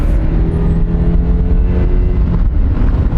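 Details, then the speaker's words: Carboned-up, noisy Volkswagen GTI with an automatic shifted manually, driven in third gear around 3500 rpm after an engine cleaner treatment: steady low road rumble at cruise with no growl or wheel bearing noise. Drivetrain sounds healthy. "Other than that, it's traveling perfectly smooth. Jif's fine. Don't hear any wheel bearing noise."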